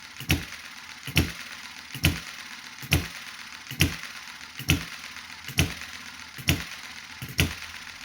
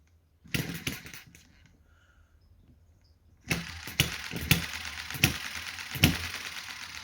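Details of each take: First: Chinese model hit and miss engine after months unused, warmed up: crisp firing beat about once a second, evenly spaced and steady; slow, smooth normal running. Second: Chinese hit-and-miss model engine just started after months unused, with thicker oil and governor held out: sharp firing pops come unevenly with long gaps; soon runs steadier.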